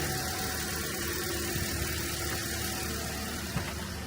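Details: 2010 Toyota Corolla, 213,000 miles, back running after a no-start (battery replaced, alternator suspected): quiet, steady low rumble with an even beat and no knocks, misses or squeals. Normal idle.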